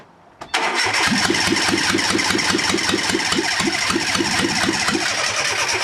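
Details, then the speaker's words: Fiat Panda 4x4 project: even starter chug about four times a second, never catching, crank no start; owner concludes there is some problem with the injectors. "no it looks like it ain't gonna run uh so obviously there's some problem with the injectors now"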